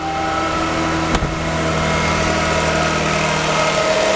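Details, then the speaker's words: 1994 Lexus ES300 1MZ V6 at about 74,000 miles, started slightly cold after repair: smooth, steady idle with an even hum, no knocks or misses, one brief bump; an extremely healthy engine. "this is the sound of an extremely healthy 1mz if runs perfectly fine"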